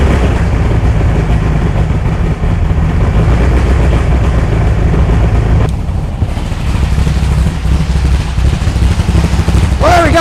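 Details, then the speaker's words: 1964 VW Beetle air-cooled flat-four after a tune-up with new rockers, carburetor and ignition parts, possibly flooded from long cranking, idles lumpy with a galloping, beat-skipping misfire; the coil appears bad or failing, and distributor timing is also suspected. "all right looks like the coil was bad or is going out"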